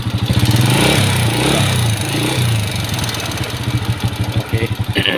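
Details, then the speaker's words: Honda Wave S single-cylinder with loose engine and white exhaust smoke, slack cam chain: rapid metallic tapping over uneven firing, quickening with revs, from worn scored cam and pitted rocker arm. "อาการของมันคือจะมีเสียงดังแก๊กๆพร้อมนะทุกคน"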